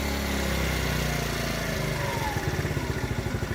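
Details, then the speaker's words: TaoTao 50cc scooter, after adjustment: starts fine, but after throttle is opened and released, firing slows to uneven chugs near stalling and the light dims. Bogging after throttle release. "it'll still bog down. The light gets really, really dim. It may or may not cut out. Right now it's running, but it's running very, very you know, it's about to cut out."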